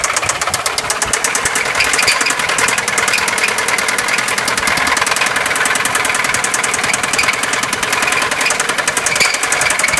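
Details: Fast, sharp, steady ticking-knock over the idle of a 2004 Subaru Forester XT petrol engine; owner tried the timing belt tensioner test but it didn't seem to be the cause, noise unidentified.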